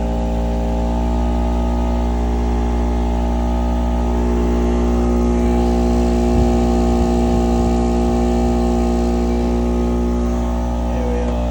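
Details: Small two-stroke Chinese generator of unknown history (label 1000 W peak, 850 W rated), adjusted with a slightly sticky linkage and over-volted, powering a heat gun: even steady drone with firm low hum holding speed at about 830 W without surging; healthy under heavy load.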